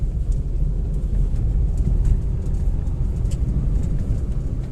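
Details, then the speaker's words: Hyundai Grand i10 petrol with a used manual gearbox fitted to fix humming in second and third gear (old box had low oil and metal debris), road test: steady rumble through all gears, no whine or hum; gearbox healthy. "आवाज नहीं है मतलब जो हमारा use gear box है वह अच्छा निकला सक्सेसफुल"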